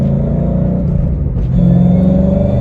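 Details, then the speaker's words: 2011 Mustang GT with a Roush Phase 1 supercharger after the dealer replaced the differential, gear and pinion, and rear axle bearings; deep exhaust rumble and supercharger whine with a hum rising on throttle, no axle growl or grinding: normal rear axle and differential. "finally just hear the exhaust and that supercharger whine. No more rear axle bearing sounds or differential, so keep in tune right as we get home."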